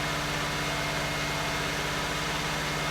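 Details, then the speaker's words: 1989 Buick Reatta after a new ignition control module and an earlier idle air control valve replacement: quick, even, steady exhaust pulse idling higher than it should with no misses; high idle, owner suspects the throttle position sensor, with a check engine light on. "that's probably why it's still idling high CU it doesn't know what's going on"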